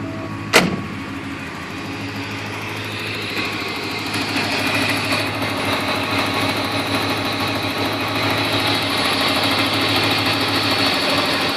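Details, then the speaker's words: 1987 Porsche 928 S4 V8 at idle, heard from outside the car: a steady, even idle with a light, quick ticking on top. This is the normal injector tick common on 928s, from cleaned and serviced OEM Bosch injectors; the motor sounds healthy. "Motor's coming along just fine. Has the uh has the normal injector tick, but that's actually a common thing on 928s."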